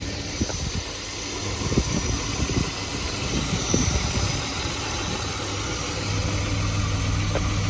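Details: BMW E34 520i Touring at cold start: irregular ticking and scattered knocks over a steady hum, then white smoke from the exhaust; cause unclear.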